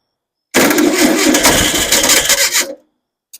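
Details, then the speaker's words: Engine's first start after months of rebuilding, fuel tank above, roughly gravity fed: cranks, catches with a few quick uneven firings for about two seconds, then dies; fires but won't keep running, fuel issue suspected, sounds good when firing. "Got a fuel issue for sure. Sounds good when it is firing."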